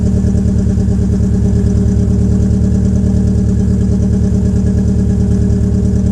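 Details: 2004 Peugeot 807 SR 2.0, EW10J4 RFN petrol four-cylinder, cold start with the rear silencer removed: an uneven idle with a lumpy, pulsing exhaust beat. The owner attributes the rough cold idle to tight valve lifters, and it improves as the engine warms.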